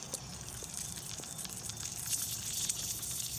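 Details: Lennox outdoor AC unit not cooling, pressurised with nitrogen to 250 psi for leak testing: faint steady high-pitched hiss of gas escaping from a refrigerant leak low on the unit.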